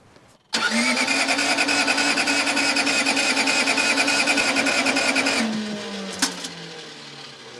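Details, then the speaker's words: Case 1835C skid steer diesel with broken piston rings, 24-volt starter batteries, glow plug switch and wiring dead: steady cranking about three turns a second for five seconds, never catches, then winds down; no glow plug heat, no start. "I had them charging overnight, and my switch and the wiring for the glow plugs is showing to be dead. That is not going to help us."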